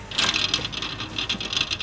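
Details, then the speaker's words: Hemi-swapped Jeep Wrangler JL cooling fan removed and turned by hand; dry, gritty scraping and rapid ticking, no smooth spin; bearing dry and seizing, fan had completely seized in Dallas and was forced free. "supposed to be making that noise no so it's completely froze up in dallas"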